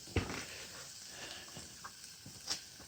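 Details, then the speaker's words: Old 12 HP Tecumseh XL engine after revival, heavily oil-covered: quiet scattered crackles and soft hissing pops after shutdown, oil sizzling on hot engine metal. "Listen to the sizzle. Woo! Man alive. There's a lot of oil on it."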